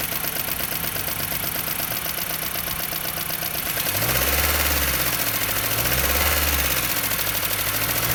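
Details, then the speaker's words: Jeep Patriot 2.4 knocking for 1000 km despite oil change and flush; steady fast ticking knock following engine speed at idle; exhaust valve clearances measured 0.30–0.55 mm, heavy camshaft journal wear and scoring in the cylinder head; head to be removed. "Автомобиль Jeep Patriot 2.4 застучал двигатель."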